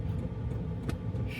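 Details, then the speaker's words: Wippro diesel heater in a van after priming, blowing really hot air: steady low roar of rushing air with no knocks or rattles; blower running hard at full speed and sounding normal. "It's coming out really nice and warm. And now it sounds like it's gonna take off and fly somewhere."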